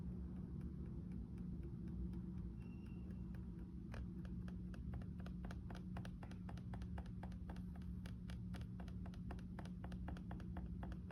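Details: Lenovo IdeaPad Slim 3 15AMN8 laptop: sharp hollow clicks, about three a second and sometimes paired, on each single or double tap of the touchpad; annoying in quiet rooms.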